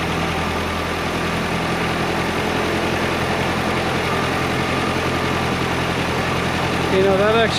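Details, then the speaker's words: 1958/59 Austin Gipsy G1 M10 four-cylinder on 11-year-old original petrol, just started: fairly steady idle with slight unevenness, a little smoke; runs acceptably. "started up a hell of a lot better than I thought it would"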